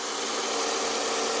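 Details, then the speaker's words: 2007 Toyota Aurion after full service and power steering pump leak treatment, steering turned full lock: steady even hum with faint whirr, no knocks or misses; engine now quieter, normal smooth idle. "Okay, it looks like it. And I can hear the engine will more quieter,"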